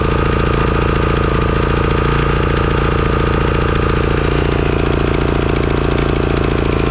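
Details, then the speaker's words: Craftsman riding mower engine after replacing completely clogged carburetor that caused surging: steady even thump at constant speed, no hunting or rise and fall, revs held smoothly; normal running. "okay well it looks like it was the carburetor all along"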